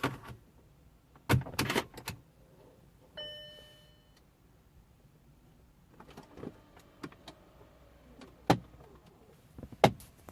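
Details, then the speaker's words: 2008 Audi A6: for a few seconds after ignition on, a short buzzing motor whir and scattered clicking or tapping from under the dash, one of the HVAC flap actuators, which one not yet identified. "I hope you can hear this on see if it does it again so that clicky noise or tapping noise is one of the uh hwac flaps I don't know which one is yet"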